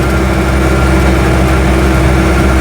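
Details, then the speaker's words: 1972 Invacar Model 70 three-wheeler after oil change and partial service, out of hibernation since January, fuel pipe replaced: steady even low buzzing engine note with no knocks or misses; normal running. "seems to be buzzing along very merrily"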